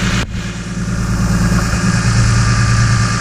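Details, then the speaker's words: BMW E46 M3 quick startup after installing an Active Autowerke pulley kit and new belt tensioner and idlers: steady, even idle with a smooth low hum and no squeal, chirp or wobble; belts aligned, engine healthy. "like everything is lined up, everything is smooth. Everything's"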